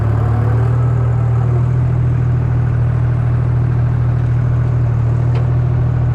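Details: 1953 Oliver 99 gas 4-speed tractor with Waukesha four-cylinder: deep steady low drone with even beat, no knocks or misfires; running normally after trouble starting.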